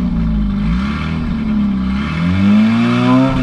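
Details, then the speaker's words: 2003 Ford Focus after new plugs, wires, fuel pump and filter, black old gas drained, 93 octane added: revs with an uneven, wavering note, climbing sluggishly; better but still weak and hesitant, cause not pinned down. "it runs a little better doesn't have that where you stomp on it but it's still kind of weak"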